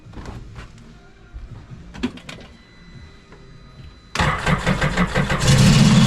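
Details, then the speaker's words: 2014 Scarab 195 supercharged jetboat, 300 hours, after repair, cat deleted, restrictive intercooler removed for new part: scattered clicks, catches around four seconds and builds to a strong, even roar without stumbling; no check engine light, running nicely. Normal running. "Not bad. Not bad at all. Not bad at all. And we are catless. No check engine light. Running pretty nice."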